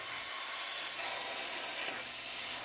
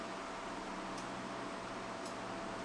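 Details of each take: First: A Cut50L plasma cutter cutting on a CNC table gives a harsh arc hiss that sputters on and off as the arc flashes from red-orange to blue; the suspected torch fault is confirmed once the shield cap is removed. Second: Cut50L plasma cutter on a CNC plasma table, low-frequency start, cutting 1/8 inch mild steel: steady, even hiss of the arc with no crackle, sputter or stutter; clean normal cut with minimal dross.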